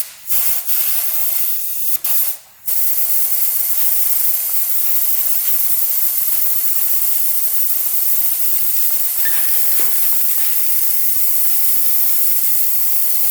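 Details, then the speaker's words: 2000 Honda CR125 two-stroke with a severe bog, crankcase pressure leak test: a steady sharp hiss of escaping air starts immediately and holds; the air is leaking at the crank seal under the side cover. "all right let's see what we [Applause] get it's leaking out right away"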